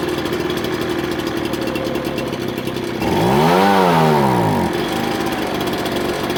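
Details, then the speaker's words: Ryobi BP42 backpack blower two-stroke after hard-start and air-leak fix, carb previously misadjusted to compensate: idles, then revs climb for about a second and sag back instead of holding; bog on acceleration while low-speed jet is being adjusted. "i'm working the low speed jet right now to try to get it so when i add the high speed for the pickup that's why it's bogging so too much"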